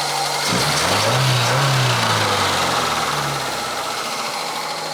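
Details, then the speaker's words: Opel Ascona revival, carbureted, after fresh fuel and refitted fuel lines and a vacuum trick to clear carburetor jets: engine catches, revs briefly, then settles into smooth regular idle with steady pulses, no stumbling; normal idle. "that time sounds decent that's nice very"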